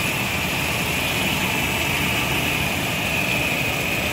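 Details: Nissan 2.4 pickup after replacing a faulty MAF sensor with an original Nissan unit that caused power loss: steady even idle, no surges or misses, constant hiss; MAF now reads about 2.4 g/s, running normally.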